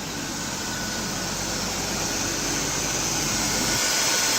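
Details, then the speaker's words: Ford Taurus idling after replacement of the AC compressor clutch and magnet; the old pulley bearing had failed. A steady hiss and airy hum over a smooth idle, with the clutch engaged and spinning; normal compressor operation. "air conditionings off start up the car it idles normal circuit breaker is not blown air the fuse is not blown at this point it's no idling normal"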